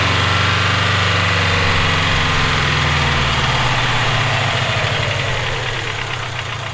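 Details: Subaru EJ257 engine at rough idle: even deep knocking about four times a second, fading slightly as revs drop; owner suspects rod knock, unconfirmed.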